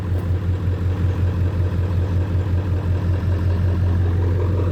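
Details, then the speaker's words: Ford 7.3 Powerstroke diesel with a recurring fuel issue, just started after a hard start, heavy smoke: deep idle with a slightly uneven low rumble settling into a steadier beat; rough idle smoothing out. "i didn't think it was gonna smoke that much running a little rough surprise is actually smoothing out that's crazy man"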